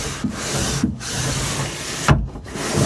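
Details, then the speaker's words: Ram Promaster van, window regulator job: after spraying lubricant into the window track, a light, smooth scraping glide with brief stops, no sticking or chatter; window now slides freely, a big difference. "Oh, wow. All right, big difference."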